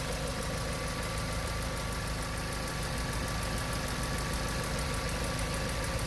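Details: 2016 VW MK7 GTI petrol engine at about 40,000 miles, idling, with a light, quick ticking over the hum that speeds up with revs, started a few months ago, no fault codes; cause unknown.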